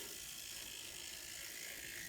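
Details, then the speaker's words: N scale Kato SDP40F locomotive tested on track: thin raspy gear whir with fine ratcheting buzz; cause thought to be the truck sitting too close to the worm gear. "unless you can hear the gears making noise so i know i can do better"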